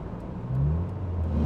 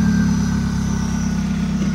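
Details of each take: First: Ford Probe bought from Copart on a 700-mile road trip: the engine flares and revs freely without pulling the car; the automatic transmission is slipping with no drive. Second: Ford Probe from Copart with transmission trouble on a road trip, after a roadside fix: engine pulls steadily under light load with no slipping flare or clunk, chime beeps over it; overdrive button works and the automatic drives normally.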